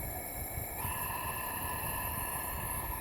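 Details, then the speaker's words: 2009 Mini Cooper S, turbo removed, leak-down test on the misfiring cylinder: steady hiss of compressed air escaping on the exhaust side, none at intake, a leaking exhaust valve; cylinder head to be removed. "Well, this is what we thought it was gonna be, so it's a leak in exhaust valves. So we're gonna take the head off."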